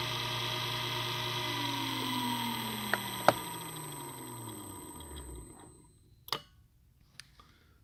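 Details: DVT smooth motor with integral 20 W brake, relay-switched, with drive on a test bench: motor hum drops smoothly in pitch as it slows, with a few crisp clicks as the relay drops and the brake sets; normal release and engage.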